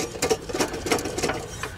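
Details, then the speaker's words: Husqvarna YTH18542 riding mower, deck removed: loose, dry rattle in uneven bursts as a deck spindle is turned by hand, with felt vibration. Worn spindle bearings, bottom bearings shot, the source of the earlier squeal; spindle to be replaced. "you hear that rattle the bearings are bad on that side oh yeah that's what was squealing right there"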